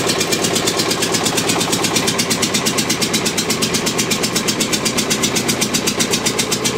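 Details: Witte single-cylinder diesel generator, late 1940s, first start after about 45 years idle, after running all day: even, rapid chuffing beats at a steady pace with no misses or knocks; running healthy.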